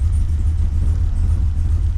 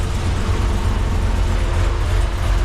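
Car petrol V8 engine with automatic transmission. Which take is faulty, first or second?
first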